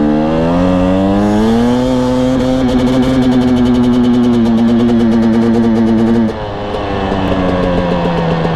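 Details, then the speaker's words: Husqvarna TE250i TPI two-stroke dirt bike at about 100 hours, riding: rising midrange note with fine rapid metallic rattle when easing into throttle, gone with aggressive higher-rev throttle; light-throttle pinging, not rev limiter, still being diagnosed. "see in the first run you can hear it ping then in the second run I am more aggressive with the throttle and notice the revs are higher but it does bypass that pinging sound it's only when I ease into the throttle"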